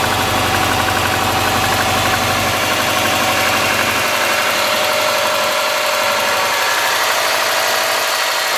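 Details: '03 Subaru Forester, 178k miles, ~150 miles after head repair for a dropped valve guide, cold idle: light quick uneven ticking, about three a second, from driver-side front exhaust valve with .029 clearance vs about .010; adjustment cured it.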